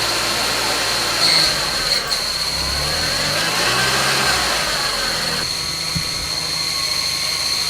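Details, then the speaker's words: Audi S3 8L barn find, sat 9 years, first run after timing belt refresh: steady high-pitched squeal over the idling engine from the clutch release bearing, likely rusty from sitting; clutch engages fine. "So, what you're hearing, guys, is a release bearing on the clutch."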